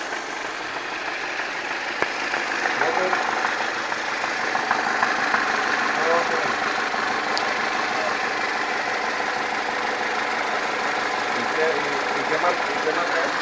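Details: 2004 Pontiac Sunfire Ecotec 2.2L, engine a little hot: warm idle with busy ticking rattle about three per second over a hissy engine bed; cause not identified; engine noise when hot.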